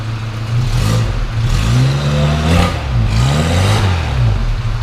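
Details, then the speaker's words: 1971 Dodge-Mitsubishi Galant Colt, original Saturn engine, near-cold start, revved from the rear: smooth rise and fall over a couple of blips, no rattles, knocks or misses, no smoke, only condensation; healthy. "know it doesn't blow smoke or anything like that"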